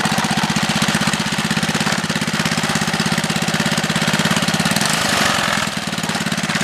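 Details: Small 3HP single-cylinder engine on a Wheel Horse, run after gasket installation to stop oil leaks: steady fast chugging beat, even firing with no knocks or misses; runs healthy.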